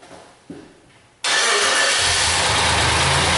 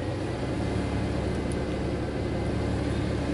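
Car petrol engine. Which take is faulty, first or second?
first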